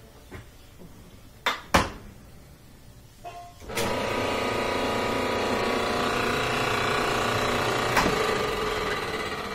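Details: Frigidaire dryer, probably about 15 years old, that hummed or started briefly then shut off, after cleaning the dirty motor switch: clicks and clunks, then motor catches cleanly into a steady even hum; starting and running normally, repeatedly.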